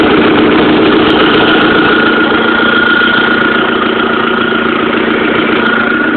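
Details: Audi/VW 1.8T turbo four at steady idle with a fast, even tick about three to four per second; owner suspects an exhaust leak at the manifold, not confirmed.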